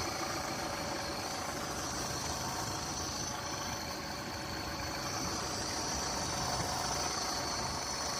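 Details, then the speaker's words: Yamaha F150 outboard at idle: uneven, stumbling rough idle with a steady hiss; suspected air leak, owner also considering idle air control or throttle position sensor. "Stumbling a little bit here. Yeah, it sounds like it's having a Sounds like an air leak in here."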